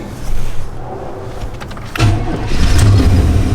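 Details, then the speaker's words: 1982 2WD C10 (factory Olds 350 diesel) swapped to a 305 TBI with a TCI 700R4, said not to run, given a spare battery and starting spray: short cranking, catches at about two seconds, deep throaty idle, sounds like glasspacks; normal start. "Wowzers. I don't know why I said it doesn't run. Ooh, it sounds like it got some glass packs in there too."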